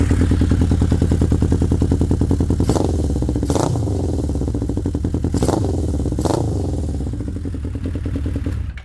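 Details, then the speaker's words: 1979 Honda CB750 F Super Sport four-cylinder after carburetor float levels set to factory spec (cured earlier spitting and sputtering): steady even idle with gentle throttle blips rising cleanly and settling; normal healthy idle. "don't want to go crazy on it because of neighbors and stuff like that but uh yeah so it sounds good"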